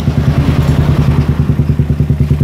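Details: Suzuki Satria FU with the exhaust-camshaft decompressor removed, used CBR exhaust with long header: even steady single-cylinder idle, about seven soft thumps a second, no ticking; runs smooth and healthy.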